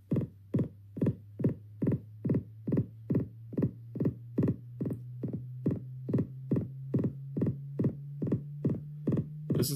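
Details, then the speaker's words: 16-inch MacBook Pro built-in speakers playing a YouTube frequency sweep that is clean on other devices. A low rising tone is broken by sharp regular pops about twice a second; the crackling also happens with any Logic Pro instrument. "this happens in Logic Pro when you play any instrument this is a very serious audio problem with the MacBook Pro 16 inch"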